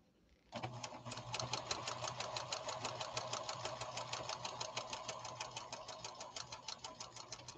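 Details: Restored late-1980s/1990s Pfaff Creative 1471 sewing machine running decorative stitch 97: fast, even needle clatter, about three stitches a second, over a quiet motor hum. Running normally.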